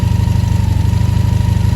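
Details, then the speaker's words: 1983 Honda V45 Sabre VF750S V4, long unused and left outside: quick, even, steady idle throb with no misfire or mechanical clatter; sounds good. "she does sound good anybody want to buy her she's for sale"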